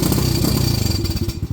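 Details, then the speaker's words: Venom Madix 125 quad with a persistent carb problem (PZ20 carb; owner wonders about varnished fuel), now running better after carb work: single-cylinder idle with a loose metallic clatter on each firing pulse, like something in the exhaust shaking. Owner plans to tighten the rattling part. "It was just running better, but that rattle I don't like. I'm gonna have to figure something out with this. There's a way I can tighten it on there, because with it rattling it just sounds like shit."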